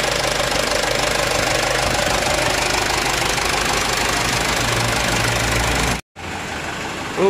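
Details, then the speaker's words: Mitsubishi Canter HDL 136 diesel truck, after repair of a cracked injection pump timer whose fragments fell into the oil sump, bearings undamaged: revs up and holds a strong, even roar with no knock or miss; normal revving. "Ya enternya suaranya masih halus mesin Ada kemungkinan ya masih normal Masih normal"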